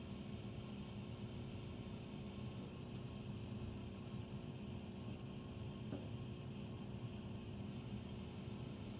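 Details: Furnace running after 10 PM (08-20-14), heard through the main duct and in the utility room, with tiny water dripping noted. A constant heavy roar with a faint hum and no rattles; the furnace is far too loud and the cause is unclear.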